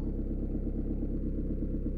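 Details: Peugeot/Citroën 1.9 D diesel with mechanical injection pump, after valve clearance adjustment: even, low clatter at a settled idle with no loud tapping or misfire; tight tappets with no clearance had caused hard morning starts and smoke on starting and acceleration.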